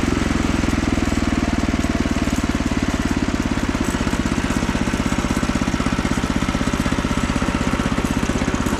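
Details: Frontier OS27 sawmill with a 15HP Harbor Freight Predator swapped in for the 13HP Briggs & Stratton, on its first cut: a steady, even single-cylinder thump through the cut with no stumbling or surging. It runs cleanly and healthy.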